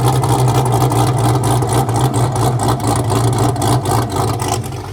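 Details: Newly installed engine in a wrecked 2023 Corvette C8 being rebuilt, started untuned; after a blip, deep uneven lumpy idle pulsing about four times a second; healthy big-cam V8 chop.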